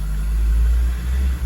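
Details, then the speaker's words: 2002/2003 Acura RSX Type S K20, warmed up a couple of minutes: idle drone sags and recovers about every second, surging or hunting. Traced to a stuck, defective idle air control valve, later replaced. "tricky whatever but you see the pulsating now right pulsating with an attitude there"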